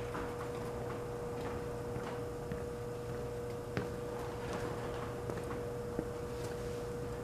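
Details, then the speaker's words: Antique Frigidaire 5400426 fridge compressor just charged with two cans of R600 butane in a cool room, no overload relay fitted: steady low hum with a constant mid tone, no stumbling, evaporator already getting cold; normal running. "All right, the two cans of the R600 butane are in the system. Take the hoses off, put the cap on. It took a lot longer than I expected to get The evaporator is already getting cold. I'm so delighted."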